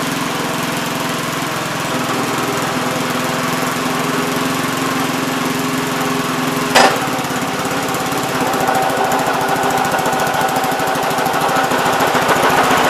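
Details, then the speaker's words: 1971 Gravely C tractor, single-cylinder: irregular, lumpy beat roughening as throttle rises instead of picking up cleanly; owner suspects carb adjustment, flooding, governor, fuel or spark, leaning towards spark; unconfirmed. "if you throttle it up it dies almost sounds like it's flooded it could be a spark plug maybe"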